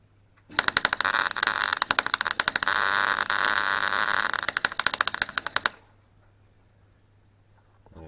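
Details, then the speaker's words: Clarke Pro 90 MIG welder, beginner's first welds on an Astra rebuild, after raising wire speed: harsh crackling arc with irregular loud pops and spits instead of a smooth fry; welder suspects gas, not confirmed; lower wire speed later helped. "So this stretch is just sputtering. I wonder if it's to do with the gas or something."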